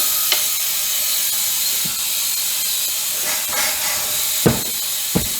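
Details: 1979 Dodge D300 truck abandoned 20+ years, tire being aired up after bead sealer: continuous sharp hiss of escaping air with a few metal clanks; bead isn't seated, so air rushes out instead of filling the tire.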